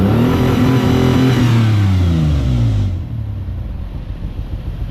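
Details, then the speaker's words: 1995 two-door Ford Explorer, one or maybe two cylinders missing: uneven stumbling pulse as revs rise and fall, slightly better at higher rpm after swapping a used spark plug; misfire persists, owner suspects low compression. "Still missing. Sounds a little bit better at higher RPMs, but we still probably got a problem over here."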